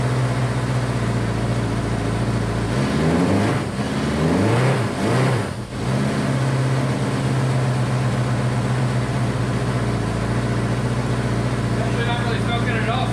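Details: Honda CB500 four-cylinder, first start after an attempted liquid engine rebuild, choke on, running on all four and smoking, idling a little over 2,000 rpm: steady fast idle, holding even with slight dips; idle is too high, cause not confirmed.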